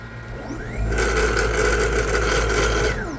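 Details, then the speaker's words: 7.5 kW 6000 RPM three-phase 380 V spindle servo motor, run from 240 VAC and jogging at about 3000 RPM: whine ramps up and holds a steady hum with a faint buzz, then winds down. The vibration is from the motor touching something. "vibrating because it's touching here, right? But it goes in one direction. And if I press the other one, it goes in the opposite direction."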